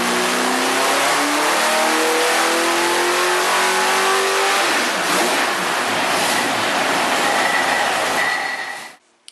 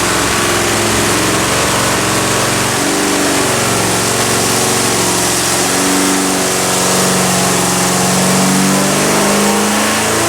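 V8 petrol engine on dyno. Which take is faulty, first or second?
second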